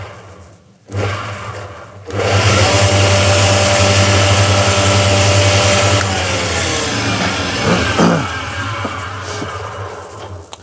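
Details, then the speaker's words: Newly bought Coronet Major 4-in-1 woodworking machine on a trial run; the motor spins up to a loud droning hum with rough fluttering beneath, then winds down. Owner unsure whether that part is supposed to spin. "Yeah, that kind of scared me a little bit when it started making all that noise."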